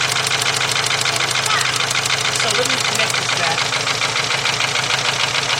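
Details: VW 2.0 engine running rough after a fuel pump change, plug wires crossed, cylinder 1 wire pulled: sharp regular ticking about three a second with an uneven idle lope; cylinder 1 misfire, not the wire.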